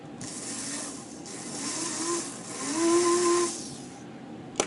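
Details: Aurora HO slot car dune buggy chassis motor during restoration, after a new crown gear and brushes, run on a transformer: a tiny motor whirs in short hissy runs with a rising tone. It squealed for oil before oiling.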